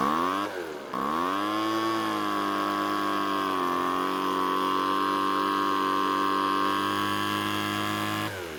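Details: Small two-stroke blower with a newly fitted replacement carb, heard during carb adjustment: a steady buzzing idle dips in pitch twice, then slowly picks back up. The idle is sagging and the cause is not yet known.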